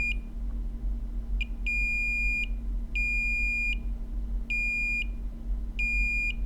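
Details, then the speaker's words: Dead iPhone 7 Plus with a VCC_MAIN short, multimeter in diode/continuity mode on a capacitor found hot with freeze spray: about four repeated sharp high beeps, each under a second, confirming the cap sits on the shorted VCC_MAIN rail. "so first we'll check in diode mode to say hey guy are you on the line that's short in which case you should beep"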